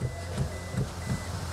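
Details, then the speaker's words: Toyota Hilux with automatic transmission, worn brake pedal bushing: soft dull thumps about three times a second from the brake pedal, sounding as if from the dashboard. Worn brake pedal bushing knocking. "ó tá vendo esse tututu tututu então é o barulho pedal de freio você acha caminhonete vem um barulho que parece que é não painel não é no pedal de freio certo"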